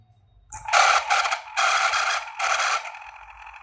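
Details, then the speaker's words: Fan motor on the bench: spins up with a harsh scraping whir that surges in waves instead of running smooth; the shaft bushing is worn out. "देखा आपने इसका Bush कटा हुआ है। सब में वही दिक्कत है।"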